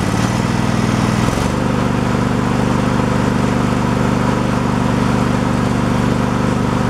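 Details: Craftsman Pro mower single-cylinder engine after a new carburetor fixed surging: steady, even idle thump with no hunting or surging; healthy engine.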